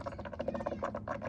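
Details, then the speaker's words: Challenger Shaker at 45,280 miles, after a radiator flush and 10 minutes of running: soft, irregular, wet gurgling and bubbling pops as trapped air is pushed out of the cooling system. "all right y'all so I let it run the 10 minutes you can definitely hear the bubbling there"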